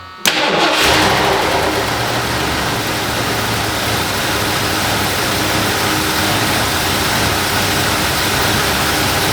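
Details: 1978 Lincoln Town Car V8, first start in about 25 years with new or cleaned carburetor: cranks briefly, catches at once and settles into a steady, even idle with no misses or knocks; runs healthy.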